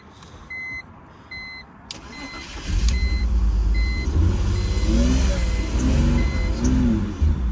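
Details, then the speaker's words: Keyless BMW started with a cheap tool: after dash chimes, engine cranks and catches but runs unevenly, surging and dipping, nearly dying, then shuts off; rough running on the old battery, cause unclear. "Yeah, she's shutting off pretty bad. It's not running great, but it is running. Yep. Ooh, that motor is not happy."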